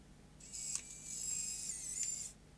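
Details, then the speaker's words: Sony CCD-TR55 Video8 camcorder, loading motor powered externally after tape extraction: about two seconds of thin high whirring with small ticks as the deck laces back up evenly; loading works normally. "good that means it will go back in in its fully laced condition"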